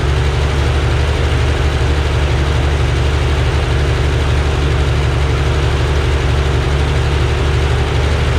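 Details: Rebuilt Corvair engine on a test stand outdoors with a test shroud, checking oil pressure and carb synchronization: loud, steady idle with an even low drone and no tapping or grinding. It runs smoothly.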